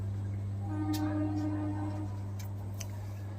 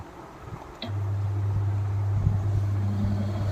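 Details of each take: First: Orient water cooler switched on before repair: the motor makes a steady low electrical hum but never spins up and the cooler does not run; the motor is completely rust-seized. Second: Orient water cooler after repair of its completely rusted body, with the motor section, water pipeline and back cover refitted, switched on: silence, then the motor settles into a steady low, even hum without wobble or rattle; normal start-up.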